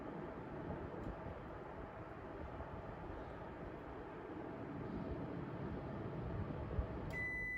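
Soft, even rush of air with no rattles or rubbing, then a short beep at the end; the fan runs normally.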